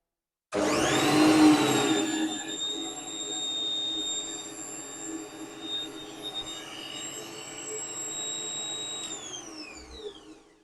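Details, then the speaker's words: Lathe motor, almost fully encased in foam insulation: spins up to a steady, piercing high whine, then winds down; still about 80 dB at one metre, so the foam made no difference. "According to the decibel meter, which is a meter over there, it's still about 80. So that's a bit of a letdown."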